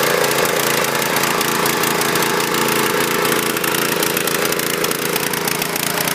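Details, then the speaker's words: Husqvarna PW3200 pressure washer with Briggs & Stratton CR950 208cc horizontal-shaft engine, previously submerged in hurricane floodwater, contaminated fluids drained and fresh fuel added; started without choke, single-cylinder runs unevenly with wavering beat and clattery top end: rough running. "running a little rough but I'm impressed for a machine that was covered in water submerged we got this thing to fire off"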